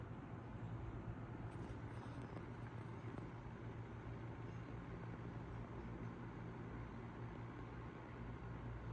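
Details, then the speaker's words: 1955 Emerson 77646SL 12-inch desk fan on low speed. A soft, steady low hum with an even whir and no ticking or rattle; really quiet. Normal, smooth running. "So we're going to turn it on low. It's really quiet as well."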